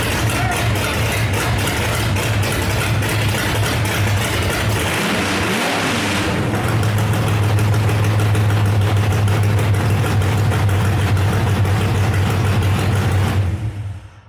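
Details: 1968 Dodge Dart with 5.9 Magnum V8 (aftermarket heads, big cam, tunnel ram), first fire-up in about ten years with no exhaust: open headers bark loud and raw, revs rising and falling with throttle, firing even until shut off; normal running without exhaust.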